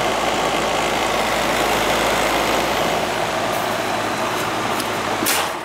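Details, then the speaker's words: Goodman AC condenser with rodent-chewed wiring: steady fan rush with faint low hum, compressor not starting; bad/fried capacitor suspected, not confirmed. "compress it in staff all the compressor started just to fan but of a bad capacitor the I mean all fried on them"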